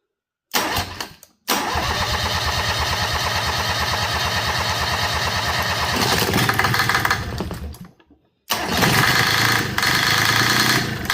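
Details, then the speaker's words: Rebuilt Yanmar 3GM30F marine diesel on a test stand, first start in years: cranks and fires into an even diesel clatter, stops, then restarts; runs clean but idle sits low and slightly uneven, needing adjustment. "Woo! Yeah, we got to adjust the idle on that. That sounded good, puppy dog. Yay. Love it when they don't run away on you."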